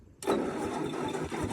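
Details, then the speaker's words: Old Ford half-track tractor, not run for about 5 years, first start after tapping the starter; harsh, raw, far too loud exhaust roar because no exhaust manifold is fitted: loud exhaust from missing manifold. "Wow, that almost sounds like that it's just straight off the manifold."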